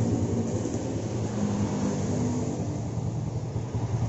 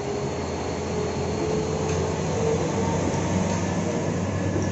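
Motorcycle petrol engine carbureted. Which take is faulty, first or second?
second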